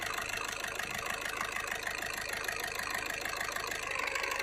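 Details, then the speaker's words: Skoda Rapid/Fabia 1.6 TDI diesel idling with severe vibration, knocking, check engine light: uneven lumpy beat with hard knock about three pulses a second; unplugging injector 1 connector changes nothing, showing that injector dead and misfiring. "इसका coupler खोल के देखते हैं क्या effect होता है engine पे। और यहाँ देखो कुछ भी इफ़ेक्ट नहीं है, मतलब ये इंजेक्टर नहीं चल रहा है।"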